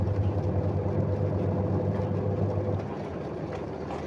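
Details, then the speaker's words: Samsung top-loading single-tub washing machine, unused for nearly a year: drive motor switched on after the dynamo, a steady, even low hum as it spins smoothly then winds down; motor runs normally. "donc nous allumons le dynamo d'abord et le moteur va bien"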